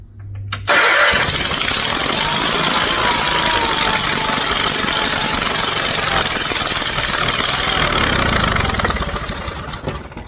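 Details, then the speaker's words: 50-year-old garden tractor converted to a dragster, first start, with a broken spark plug piece found inside earlier: it catches after a short crank and runs loud and rough at a fast, uneven patter on starting fluid. "She ain't quiet, but she runs."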